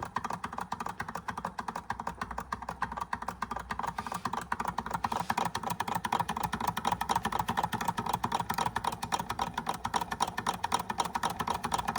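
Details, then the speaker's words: Restored George Carette 143 hot air (Stirling) engine on a wick flame, first test run after oiling and scraping off stiff grease, seems to have compression now: light quick ticking about four per second, steady and even; runs smoothly. "Very nice. Very nice. And it's got the fins to try and keep that part cool, which allow it to run longer."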